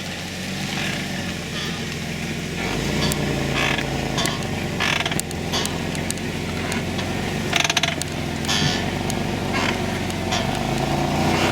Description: scraping noise rear drum brake, 2008 Caravan